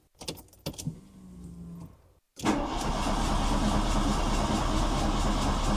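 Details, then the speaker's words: 1987 VW Golf Mk1 Turbo GTI after a fuel pump swap, letting fuel prime: clicks and a short whir, then fast steady cranking about four turns a second that nearly fires but doesn't catch. "Oh, it went to start then. Nice."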